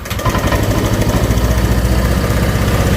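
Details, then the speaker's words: Honda Vario 125 cold start after compression restored by decarbonizing and throttle body cleaned: hard to start, lumpy uneven low idle nearly stalling when throttled; needs about 3 minutes warm-up, normal when hot; ECU reading suspected, larger injector considered. "tapi kita coba untuk Nyalakan ya pada saat dingin ini agak [Musik] susah Nah dia harus kita panasin begini agak mati ya kalau kita gas ya"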